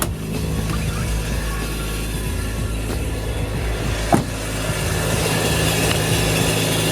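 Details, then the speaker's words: Honda Integra just fitted with Yonaka motor mounts, idling on a cold day, heard from outside: steady idle with a rough, puffing edge and faint irregular ticks; owner suspects an exhaust joint where he forgot to fit a gasket. "I think that's the uh the uh the spot where I forgot to put a uh a exhaust gasket at."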